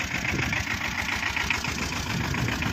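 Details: 2012 Tata Ace diesel, two owners, engine in very good condition with a new battery: starts instantly after glow heater. Steady, even idle clatter with a regular low thump and no misses or odd knocks; healthy.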